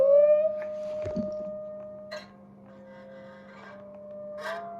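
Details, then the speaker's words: Homemade guitar sustainer driver amp left on, even with guitar unplugged: steady pure howl holding pitch with nothing played, the driver feeding back and oscillating. "The cool stuff is that it's hard to leave this on unplugged because it sort of starts howling like the guitar. Even if I plug out the guitar, it's gonna start howling."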